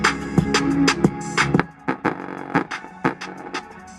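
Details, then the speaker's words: 2012 Honda CR-V passenger front door speaker, bulging cone, played on music: distorted, buzzy, with flabby, rattly beats; the speaker is blown and its cone suspension has failed, to be replaced. "Clearly the suspension on this system is gone. It's just, there's nothing."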